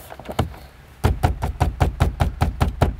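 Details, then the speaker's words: 2013 Toyota RAV4 dashboard trim, tapped after a pliable foam piece was fitted in the center to stop it rattling: about ten firm, dull knocks, each dying clean with no buzz; the panel is quiet and that rattle is gone. "gone I'm very happy with that result so there's one rattle Sol"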